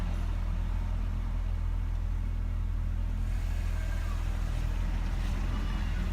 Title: 2007 Nissan Altima Rough Idle at cold start